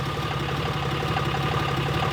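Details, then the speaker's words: 4th gen 6.7L Cummins after Airdog 165 lift pump install, once fuel flow to injectors restored; steady, even idle clatter with low constant rumble, no stumbles, sounds healthy. "And yep, she's already settled down and sounding perfect. Sounds healthy, sounds good."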